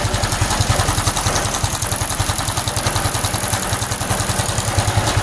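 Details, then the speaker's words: Honda Supra X 125 FI after racing valve springs were fitted, after about 10 minutes of running: fast steady ticking at idle, traced not to the head but to the tensioner/magneto side; cause not yet found, quieter than before. "Dan ini sayangnya ya muncul lagi suaranya. Tapi setelah saya deteksi itu bukan dari head ya, Teman-teman. Ini suaranya tuh dari sebelah sini."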